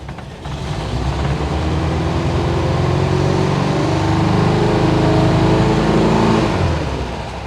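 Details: 1972 VW Bus air-cooled engine, carburetor leak fixed, with a massive oil leak and thin overfull oil: catches and builds to a steady, even chatter, then eases to idle, firing regularly; oil light off, warm-ish, exhaust smoke puffing, owner hopes it's leftover.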